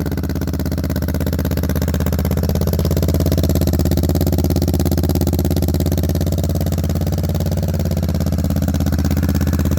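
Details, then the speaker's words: Kawasaki Vulcan 650 S twin with a newly installed aftermarket Smoke exhaust kit, recorded outside: deep, even thumping idle at about three beats a second, smooth with no ticks or knocks. Healthy. "Alright, my final thoughts on this exhaust after driving it for a little bit. It sounds great. It's not too loud on the highway, which was one of my biggest fears."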